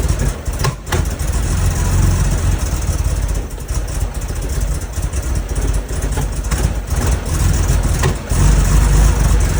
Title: 911sc rough start with vacuum leaks + backfire